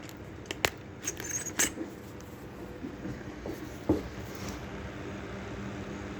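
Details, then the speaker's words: 10-inch Stop/Cool Breeze box fan switched on via safety switch: faint steady motor hum with scattered sharp clicks a second or two apart, the clicking slowly going away; cause unclear. "We'll turn it on. Press the safety switch. The clicking is slowly going away."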